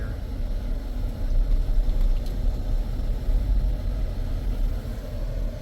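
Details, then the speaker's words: 2015 Jeep Grand Cherokee 3.6L, 63,600 miles, check engine light and stuttering complaint: deep in-cab rumble while driving, pulsing unevenly with an irregular stutter; misfiring badly, yet scanner shows misfire monitoring globally disabled. "okay this thing's misfiring like crazy but something interesting I don't know why it's doing it"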